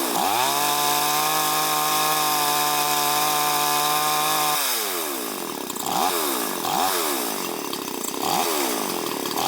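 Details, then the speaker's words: Chinese chainsaw just after carburetor idle and jet adjustment, air filter not yet fitted: steady high-pitched idle with clean, crisp blips rising and falling evenly without bogging. Tuned correctly, though it may need slight readjustment once the filter is fitted. "Бенцепилка налаштована, але коли ми ще її зберемо до кінця, поставимо фільтр, її треба ще буде чуть-чуть підрегулювати, бо фільтр глуши оберти."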